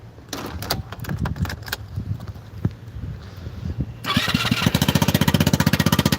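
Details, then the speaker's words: Vespa Super Sport Limited Edition scooter, 159 cc, starting: scattered clicks and handling noise, then the engine catches and settles into a steady, even putter of about four beats a second. Normal start and idle. "Listen to her purr, guys. Listen to her purr. That's 159 cc's of pure fury right there, guys."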